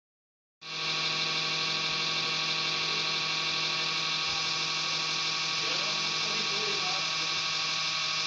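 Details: Desktop PC with a cheap 400 W power supply: a steady, harsh electric buzz throughout, suspected to come from the power supply.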